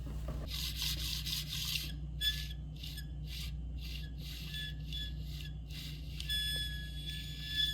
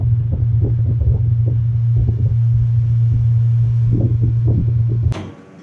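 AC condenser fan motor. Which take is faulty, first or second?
first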